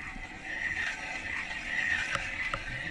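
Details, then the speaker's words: Trailer axle raised after a fresh brake job, wheel spun by hand before a wireless brake controller test: faint, light scraping hiss from the brake shoe's tight tolerance; normal light brake shoe contact. "um you can hear a little bit of noise from that brake shoe in there pretty tight tolerance"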